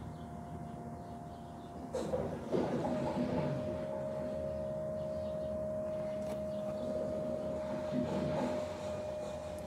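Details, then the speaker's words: BMW 335d E90 M57 diesel after a fuel filter change: the electric fuel pump is actuated through an OBD tool to prime and bleed the system. Steady high hum with fuel sloshing; pump running normally. "okay you can hear the pump hopefully"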